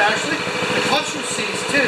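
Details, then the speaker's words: 196cc single-cylinder plate compactor, previously seized, now running after repair. It putts along with even, rapid firing pulses and no knocks or misses: normal running. "okay i call that a success we've gone from a seized plate compactor to an operational plate compactor"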